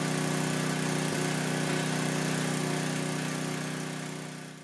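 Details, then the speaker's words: Coleman Powermate 6250 generator, 10 hp Tecumseh engine, after a quarter-turn-out adjustment; even, steady hum at constant speed with no surging or hunting, then fades away, running normally. "that's it quarter turnout is all needed"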